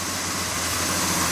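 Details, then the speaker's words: Budget turbo 250 truck, revived and running about 7 minutes, warming up: even, steady idle with a constant low drone under some hiss, no misses or knocking; normal warm idle. "Sounds pretty happy sitting here. I'm gonna let it warm up a bit."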